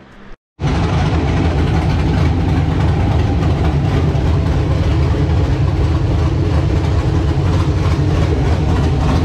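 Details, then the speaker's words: LQ9 V8 on run stand with Texas Speed Magic Stick 4 cam, Holley Terminator X base tune, first start, not yet fully learned: deep loud choppy lope, steady, firing on all cylinders; healthy cammed idle. "so i recorded a bunch of this before but uh as you can see now it does run it sounds good"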